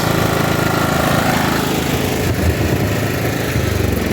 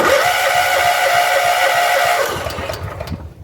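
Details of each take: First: John Deere riding mower after new fuel pump and replaced fuel line, no leaks: small single runs with a steady, even beat and no misses, then fades at the end; sounds healthy. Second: John Deere CV13S riding mower after new fuel pump, fuel line reconnected to carburetor: engine catches with uneven chuffing and thin whistle, then stumbles and fades; carburetor bowl loose and leaking fuel, carb likely needs cleaning.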